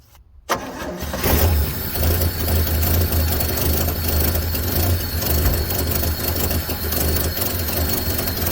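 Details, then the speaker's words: 1966 Chevrolet C10 parts truck that sat unused for an unknown time, fuel bowl just filled: long steady cranking with a regular starter beat, never fires; cranks but won't start, fuel running past the float suspected (sticking needle seat). "huh all righty so it sounds like we may be running past our uh float so the needle seat could be getting stuck on this thing"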